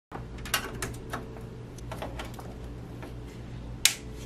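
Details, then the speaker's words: MSI Core Liquid 120R AIO cooler in a custom PC at startup: sharp, irregular clicks over a low steady hum; sediment blocks coolant circulation, causing overheating to 100 degrees under stress test despite new thermal paste. "as you can hear from this pc right here when i start the computer that clicking or clicking noise that's the sediment that is blocking the circulation of the liquid and causing the temperature to rise up"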